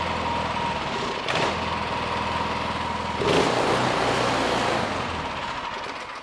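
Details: Craftsman 26-inch two-stage electric-start snow thrower, Quiet Technology 270-QU engine, during no-start repair: catches and settles into even steady putter about four beats a second on choke; running normally.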